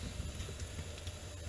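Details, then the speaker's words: AO Smith water heater after pilot assembly replacement (rat-chewed spark wire): burner lit with steady low roar and soft hiss, no popping; flame orange from condensation dripping on burner, normal until operating temperature in about half an hour. "the flame is uh orange because you've got condensation dropping on the burner"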